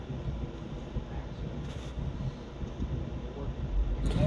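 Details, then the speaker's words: 2006 Nissan Sentra 1.8 L automatic on a road test at cruising speed after suspension, wheel bearing, brake and belt work: only soft even road rumble, no pulling, roaring or helicopter hum; wheel bearings sound healthy. "So as you can see, we're driving straight down the road, no issues. No more pulling, no more roaring, no more roaring helicopter sound."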